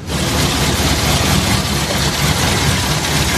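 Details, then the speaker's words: Petrol car, four-cylinder, idling rough with an uneven limping beat; plug leads pulled one by one, and removing cylinder 4 changes nothing, so the misfire is on cylinder 4, likely a dead plug or broken plug lead. "jadi kan suaranya pincang kita coba cabut satu-ke-satu tak berfungsi Agar kita tahu Suci mana yang menyebabkan mobil ini bincang"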